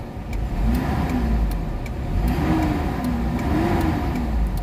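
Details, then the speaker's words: Mitsubishi Adventure gasoline engine, before Xado engine treatment: revs rise and fall lazily with a dull flat note, slow on throttle; engine only picks up at 2,000 rpm instead of 750–800, slight compression leak suspected, low power and throttle delay. "Ibig sabihin singaw siya ng kaunti. Nasa 2,000 RPM bago magalit yung makina. Dapat niyan magalit siya ng mga 750 to 800 galit na yung makina."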